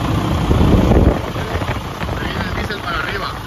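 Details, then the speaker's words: 2016 Freightliner Cascadia, 15-litre diesel with hard-starting, caused by air drawn in at the water-separator fuel filter; after priming fuel: starts immediately, settles to steady even idle. "Ahí están mis amigos ahí prendió de inmediato se dan cuenta porque era porque estaba agarrando aire"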